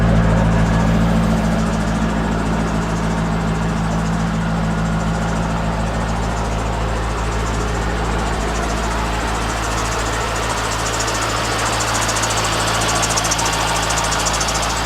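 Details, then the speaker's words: C5 Chevrolet Corvette V8 on stock exhaust, idling during a walk-around while a squeaking belt/pulley and a check engine light are being diagnosed. An even, deep burble with a steady low rumble and no misses or knocks: a healthy idle. "even though it's a stock exhaust it has a nice grumble to it for sure"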